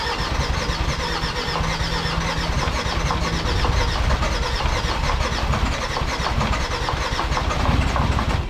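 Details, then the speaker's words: Jeep Grand Cherokee WJ 2.7 CRD OM612 diesel, first start after full engine rebuild, fuel being primed with a pump: steady starter cranking for several seconds without firing; crank no start before it eventually ran. "at this point I was so nervous this engine that just don't want to start so I had a little bit of a moment"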